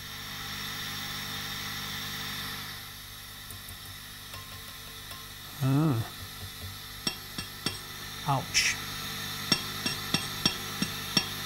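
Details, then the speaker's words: Hand-wired Vox AC15 after power supply repair, turned up: each light tap on the chassis sets off a ringing, howling burst through the speaker, a very microphonic tube in the first preamp stage, fit for the bin; substitute tubes tried. "you can hear that that's the sound of a very microphonic tube that one's fit for the bin"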